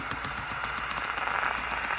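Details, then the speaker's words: Shark Genius steam mop after water pump repair: rapid, even ticking of about eight clicks a second over a light hum as the small pump turns on before heating up; normal pump operation. "that's what it sounds like when a pump's turning on and then once the pump turns on you can it'll heat it up"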